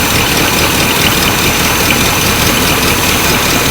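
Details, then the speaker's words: 1984 GMC K10 Suburban, first start after sitting about 20 years: rough idle with sharp hissy puffing and an occasional uneven beat; owners suspect a small exhaust leak plus a slight miss. "yeah prob be a little exhaust leak down there yeah it's also got a slight Miss to it which I mean my God it ain't been running in 20 years"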